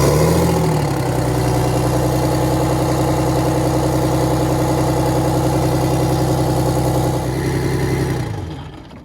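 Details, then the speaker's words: Detroit Diesel 6V92 bus engine at idle after a mechanic's check of valves and rack: a steady, even two-stroke diesel drone with no knocks or misses. Judged better than average; no adjustment needed. "I'm not going to mess with this engine. Okay. All right. It's running beautiful."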